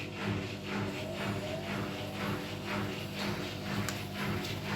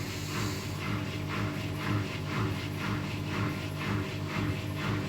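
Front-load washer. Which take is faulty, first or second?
first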